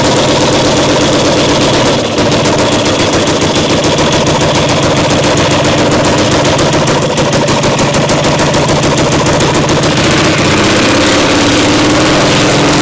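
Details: Caterpillar Diesel 70 pony starting motor during restoration startup. Rapid, uneven gunfire-like popping about three to four a second; timing judged a tick behind, possibly the second cylinder cutting in. Engine popping, intermittent firing.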